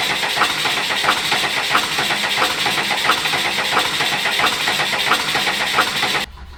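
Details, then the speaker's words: Cummins diesel motorhome with 39k miles, leaking hard fuel feed line patched with rubber line and tank pressurized: slow cranking, about ninety beats a minute, never catches. Air enters the leaking fuel feed, and two new leaks appeared in the same line. "So probably what we'll do next is when we try to start it, we'll pressurize the tank again to help push fuel up to the injector pump so we're not pulling all the air that's in it."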